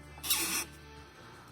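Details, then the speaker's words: Range Rover Evoque front suspension: two short high-pitched rubbery squeaks from a dry, worn stabilizer bar bushing being flexed; if not replaced in time it wears the bar's contact surface thinner. "скрипит она сухая что жуть просто если их вовремя не менять потом они начинают съедать вот эту вот плоскость там где они работают"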